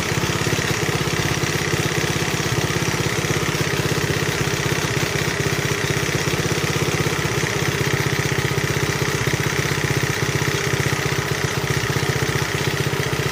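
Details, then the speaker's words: 1971 Honda CT70 mini bike, nearly 50 years old, recently revived: small single purring along at a steady idle with a light, quick valve tick on top; valve clearances need adjusting. "Just a purring along. Isn't that nice? Starting to hear the valves just a little bit, needing adjusting."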